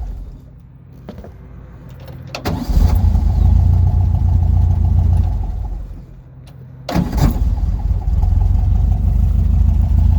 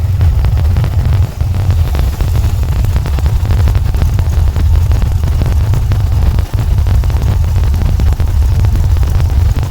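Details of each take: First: VW Volksrod with dual Weber IDF carbs and an EMPI distributor, after idle mixture screw adjustment and not yet hot. Its idle is still a bit sporadic, but after shutdown it restarts almost instantly into a steady idle, a healthy restart. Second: VW Volksrod with dual Weber IDF carbs and EMPI distributor, after idle mixture and synchronization adjustment, not yet hot; deep, loud idle mostly steady but stumbling briefly; still slightly uneven, distributor issues and jetting needed.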